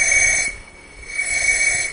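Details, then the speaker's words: 2004 Mazda Tribute no-start after overheat, second cylinder head leak-down test, microphone at the intake port: steady high hiss of air swelling and easing; intake valve not sealing, some leakage possibly also past the exhaust valve. "all right full leak down and it sounds like this time it's coming through the intake oh yeah definitely definitely can hear it through the intake"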